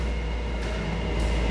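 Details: Yamaha Jupiter MX engine previously rebuilt poorly; loud coarse harsh drone with a rattly edge at steady revs, caused by worn piston, cylinder bore and con-rod small end; engine to be overhauled.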